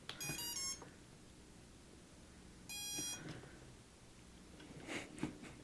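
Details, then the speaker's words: Quadcopter ESC powering up after its motor was soldered on: two short bursts of high, stepped electronic startup tones separated by quiet, signalling the ESC is not calibrated. "Well, yeah, okay, so the ESC is not calibrated, but yeah, wow. Tones and everything. Did you hear the different tone? It was weird."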